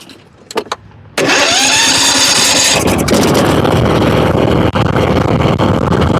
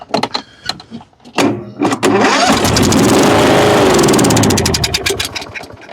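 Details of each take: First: Kohler Courage engine on a Husqvarna riding mower after blowing out debris with brake cleaner: starter catches, engine fires at once and settles into an even, steady run. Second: Kohler Courage on a Husqvarna riding mower, cranks but no start, with a clean-looking carburetor: after a shot of spray into the intake with the air cleaner off, it fires, runs ragged a few seconds, then dies. Spark and compression are good, so it's fuel starvation.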